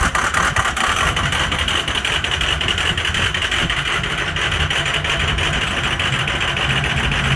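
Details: Cold start of a Ford 6.0 Powerstroke diesel with some bad injectors: hard clatter with sharp uneven ticks early, settling into a steadier rattle; rough cold start.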